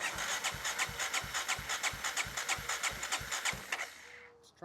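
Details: 1994 Honda XR650L single-cylinder, unstarted 14 years, cranking after spark restored, fed from a gas can: steady starter cranking at about three strokes a second with uneven pulses, turning over but not catching yet; it fired once the choke was pulled.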